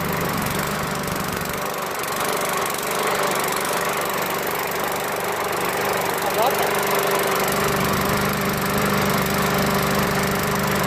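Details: Craftsman lawn mower with newer Briggs & Stratton 550 engine with plastic carburetor, running evenly and holding speed without stumbling after adding oil and gas; normal running.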